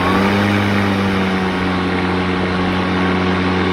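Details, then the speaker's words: ECHO DLM-2100SP eForce 56 volt self-propelled 21" battery mower, new, blades in regular mode: even, steady motor hum with constant blade tone, no wobble, rattle or scraping. "so that's in regular mode you can hear the blades and we turn on turbo pull the cell propeller"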